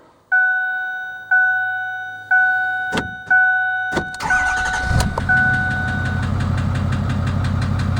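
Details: 2008 Ford F250 6.4 diesel: warning chimes about once a second, then it cranks, starts and idles with a fast steady ticking clatter; oil pressure warning comes on and noise eases slightly; owner locates it by hand in one engine area.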